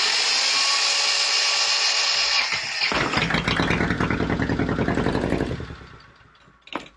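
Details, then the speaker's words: Volvo Penta 2002 diesel from a 1987 Liberty Yachts Pied Piper 28 sailboat during repair, after fuel line bleeding: starter whir, engine catches with uneven chugging then dies; rough running and stalling, owner suspects air still in fuel. "yeah it looks like the throttle's gonna work okay I think I've still got some air somewhere"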